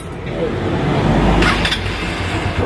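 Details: Honda TMX Supremo single-cylinder motorcycle idling with a soft, even thrum and no ticking or knocking after the noisy-engine issue (rocker arm) was fixed.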